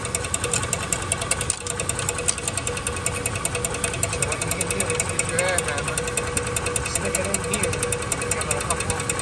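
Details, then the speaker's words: 2004 Dodge Dakota 4.7 V8 running with a steady rhythmic scraping knock; rusted, expanded iron block pushed the spacer plate into the flywheel, which rubs on it. "This plate. Rubbing the flywheel. Making a noise. Doesn't sound good."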